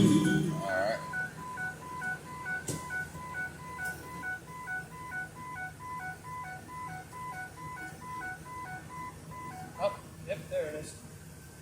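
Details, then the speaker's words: 2007 Ford E350 Econoline XLT, AdvanceTrac with RSC showing 'service RSC': a repeating electronic chime over a quiet cabin comes on when the van rolls forward, indicating a failing wheel speed sensor. "the vehicle rolled forward this is telling me there's a sensor problem"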